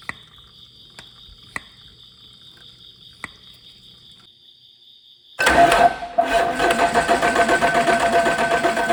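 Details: Caterpillar 3406E haul-truck diesel, rebuilt and re-engineered for a different application, first shop-floor test start after fuel priming with zero active codes: quiet ticking, then it fires abruptly and settles into a loud, even rumble with steady pulses; starts and runs fine.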